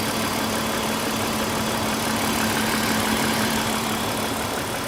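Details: Engine at steady idle, oil just checked at max line (previously slightly above max): fast, light ticking about three per second over the engine hum; owner suspects lifter tick.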